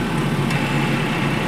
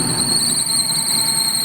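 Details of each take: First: Maruti Eeco at idle with the AC compressor on, after the alternator belt was fully tightened: steady, even idle hum, no belt squeal or chirp; only the AC clutch engaging is heard, engine and belt healthy. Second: Maruti Eeco at idle: steady piercing high squeal starts as soon as AC is switched on and persists after AC off; loose alternator belt slipping.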